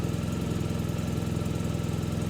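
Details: BMW R1250 GSA boxer twin after fitting radiator guards: even steady thump at idle with no tinny clatter or buzzing from the guards; normal idle.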